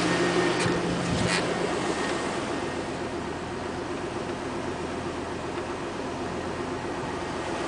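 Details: 2000 Chevrolet Tahoe, 131,000 miles, cold first start only: a faint, even knock about four a second under a steady idle, heard best near the front wheel or inside on the driver's side. Owner suspects piston slap.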